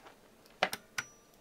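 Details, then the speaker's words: Zombie VCU with pre-charge and main contactors connected, no high voltage present, ignition on and start pressed: three crisp clicks in quick succession as the VCU enters run mode. Contactors pull in cleanly. "the VCU goes in the Run mode and contactor clicks"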